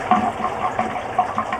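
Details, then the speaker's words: Campervan recirculating shower pump, which can run dry, drawing a near-empty drain; water gurgles and splutters in uneven bursts over a steady pump hum, pushing water back through the filters, normal. "And these pumps we're using can run dry. So, um we don't have to worry about that even if there's essentially no water in there in the drain. You'll just hear it just get a bit more gurgly coming out of the filters there."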